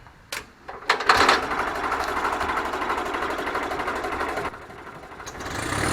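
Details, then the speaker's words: Wisconsin VG4D engine running on propane, driving a 15 kW Kohler 120/208 V three-phase alternator, revived after a non-running purchase: a brief choked crank, then it catches and settles into a smooth, even run with no misses. It starts and runs normally. "but she starts right up if i choke it so come over here and if i crank it i'll just choke it for a second she'll fire off"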